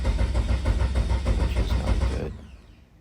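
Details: Eagle Talon with SRT-4 Eclipse swap on MegaSquirt, plugs checked fine, oil seeping from turbo while cranking: starter chugs steadily about two seconds with no catch; ECU desyncing from crank sensor signal; crank no start.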